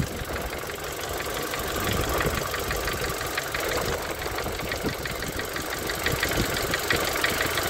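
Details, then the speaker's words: Renault Megane 2 K4M engine, hot idle after warming past +55°C, recorded below near the sump: sharp regular knocking about three per second, loudest around cylinders 3–4, persisting after oil change and flush; owner suspects con-rod bearings. "там как будто, [ __ ] их несколько бьётся. Что-то похоже на на шатунные вкладыши, мне кажется."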